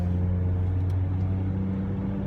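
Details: Ford Mountaineer accelerating to about 55–70 mph on the highway, phone microphone inside the cabin. A steady low hum and whine over road noise that has worsened for over a year. Rear differential whine; the owner suspects a bearing in the case, not the hubs.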